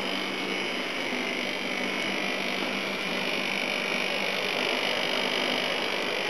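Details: Second A/C unit, with gas in it, running after earlier dry-sounding start attempts: steady, even airy fan hum with a faint low compressor drone, no knocking or rattling; compressor caught and runs smoothly. Set to high fan, cooling. Coils damaged and jammed into the case.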